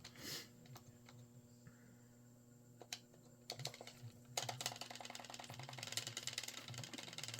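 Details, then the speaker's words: Repaired Sega CDX (Sega CD), test with laser reinstalled: quiet irregular ticking and soft seek clicks over a low furnace hum as the disc loads and accesses tracks with no squealing or chirping; normal CD drive loading. "I can already hear it loading. Figures that furnace had to turn on right now, right? Of course. That's what we want."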